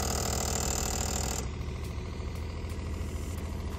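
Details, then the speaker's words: RV wastewater system after replacing the worn dump valves and fitting a new pump, while the toilet is flushed and the hand sink runs. A buzzy hum pulses about three times a second from somewhere up in the plumbing and eases off partway, source unexplained. "And this thing is super quiet. The noise is coming from up here. That's odd. I mean, this thing is super quiet. That is weird."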